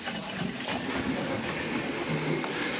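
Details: Household supply, air being purged: soft, even rush of water through the pipes with no whistle, hammering or chatter. Pressure reducing valve sounds healthy.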